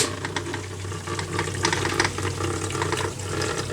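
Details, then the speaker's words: Tetra Whisper IQ 20 hang-on-back aquarium filter after a substitute rubber tip from another filter was fitted: steady motor hum with uneven rattling clicks over water noise, the impeller still loose and rattling in its shaft; very noisy. "so it is still quite noisy no it's very noisy you can hear that impeller just rattling around in there which is a shame because this is supposed to be a whisper quiet filter"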